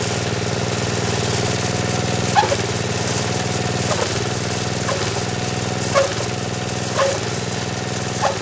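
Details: Snowblower small single-cylinder engine on 85-octane gas, after auger repair with new drive belt: even steady speed with a light thump every second or so; sounds smooth and healthy, better than old belt.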